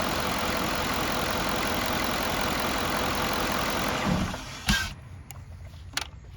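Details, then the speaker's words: 2007 Cadillac DTS (non-VVT engine, no high-pressure fuel pump) shutting off after water pump replacement. A steady idle, then cutoff followed by a short buzz and clicks from the throttle body resetting; normal on GMs. "That noise you hear when it shuts off, that's the throttle body. All GMs do that, except for your VVT motors. The VVT motors don't do that."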